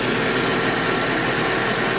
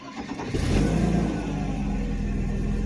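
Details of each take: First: 1991 Mercedes 190E with the rear exhaust resonator removed, its baffle destroyed: a steady, even idle hum with dense hiss and no misses; it runs pretty well, though the owner is considering new injectors and seals. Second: 1991 Mercedes 190E with the rear exhaust section refitted, after cranking and starting: uneven low rumbling idle from the missing resonator, now only a straight can, plus high-pitched puffing noises from leaks in the pipes.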